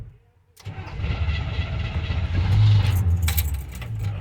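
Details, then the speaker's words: 1971 Chevy C10 Cheyenne with rebuilt carburetor, cold start in the cold and dark: starter grinds, motor catches unevenly and labours with a rough, irregular beat, dies, gets flooded by an extra pedal pump, then settles; reluctant cold start. "don't flood it now hold it there we go i flooded it let's go and when it died another pump that didn't need that"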